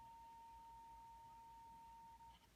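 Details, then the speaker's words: Zenith 5R086 radio, signal-generator tone coupled through a capacitor into the phono input: a clean, steady tone of about 900 Hz ending in a thump, showing the phono audio side works normally. "So it's making the tone. I presume you can hear that. So The phono side is working."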